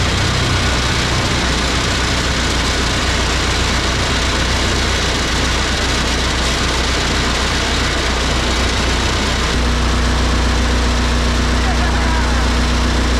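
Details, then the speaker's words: Fairly used turbo diesel in a snowcat build, just started for the first time. Steady, even low clatter settling to a smooth idle, with loosely screwed cab panels rattling over it; smokes a little. Engine sounds healthy. "runs pretty good smoke a little bit it is a fairly used motor so that's okay um we can freshen it up down the road if we need to but sounds really good"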